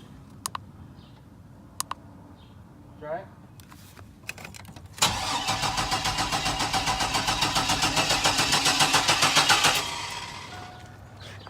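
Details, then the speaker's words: 1999 Chevy Blazer, 141,000 miles, rough condition: starter cranks with even beats about three or four a second for five seconds but never catches. It had started to get on the trailer; still zero codes, no spare battery. Crank, no start, cause unknown. "we're too dumb for this, Jack. Too dumb for it? Yeah, I think we're too dumb for this. We're definitely in over our heads. It's just so strange that it started for us to get it on the trailer."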